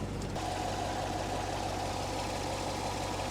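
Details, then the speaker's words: 2014 C7 Corvette, 455 hp, 19,000 miles, minor damage, at a salvage auction; smooth, low, even V8 burble at warm idle with no ticks, knocks or stumbles; engine sounds healthy. "she sounds good she really sounds good"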